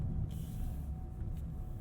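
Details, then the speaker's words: 2025 GMC Sierra EV Denali Max electric pickup: soft, short hisses of released air pressure over a quiet low hum as the air suspension lowers the truck normally. "you hear that it's lowering you hear that little release of air pressure from the suspension"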